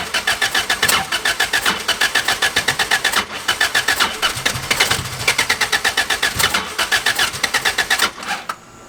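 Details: 86 with 3S-GE Beams engine on MS3X ECU, after coil pack and TPS rewiring and plugs dried from flooding: steady starter whirr about four beats a second with odd weak catches, never firing despite spark and fuel; owner suspects the tune.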